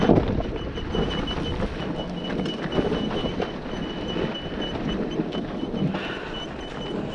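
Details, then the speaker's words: Kawasaki KLX with 365cc engine, riding with the engine shut off: a faint, repeating high squeak over wind and rolling noise, first feared to be in the motor but traced to the front wheel. "if you hear that squeak i was worried that was in the motor that's why i shut the motor off it's the front wheel so that's good"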